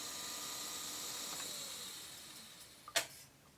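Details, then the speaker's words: Serviced Technics RS1500 reel-to-reel with adjusted felt brakes, fast wind to stop: a high whirring slows and fades, then one sharp click as the reels halt cleanly with no tape slack. Brakes working normally. "yeah it's working fine the brakes are holding little felt brakes are holding perfectly now"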